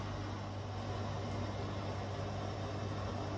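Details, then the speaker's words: Bosch Serie 4 washing machine, 4 months old, 30-minute quick wash, fairly fast (not full 1400) spin after first drain, a couple of feet away; quiet even hum, slight vibration, healthy. "and if i quiet it yeah there's a tiny bit of vibration but not a lot"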